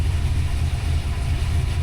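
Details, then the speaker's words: Fresh rebuilt 363 V8 with Holley Smart Coil ignition and Terminator X EFI, temp and oil pressure good; deep slow lumpy rumble barely holding idle, idle air control closed at zero, idle set around 760 rpm; low idle, owner raises idle and timing. "Probably turn the idle up more. My idle set at anyway 760. I give it a little bit more."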